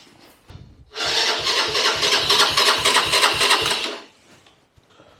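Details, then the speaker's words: Herald 125 motorcycle with fresh treated fuel and a good spark: about three seconds of brisk cranking with even compression pulses, but it never fires. Compression seems fine, and the owner suspects the carburettor. "and it sounds like there's got there's enough compression there so my guess is it's something with this carburetor"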